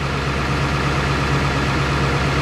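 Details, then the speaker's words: Ford 7.3 Power Stroke diesel idling after fixing a battery connection that caused slow cranking, apparently with one battery carrying the load: steady smooth low rumble, no knocks or misses; 14.37 V on both sides, cranking strong. "14.37 on both sides and she's cranking strong so I think that fixed our problem"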